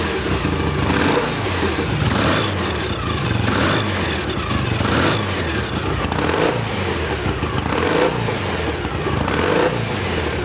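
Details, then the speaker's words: 1967 BSA A65 Thunderbolt twin on first start-up after full engine rebuild, restarted after checking spark and blowing out wet plugs: revs up and settles repeatedly, both cylinders firing evenly with crisp steady exhaust beat; normal running. "Được rồi, vậy là cô ấy chạy tốt. Động cơ vẫn ổn."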